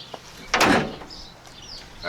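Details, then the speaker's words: 1989 Chevy K5 Blazer without hardtop, after tailgate adjustment with washers: one solid clean thud as the tailgate shuts, no rattle after; latch closes and holds, no more metal-on-metal rattle. "That closed nice. No real rattling. And it opens nice. Now when you hit a bump, you're not going to hear that rattling because it's not metal on metal."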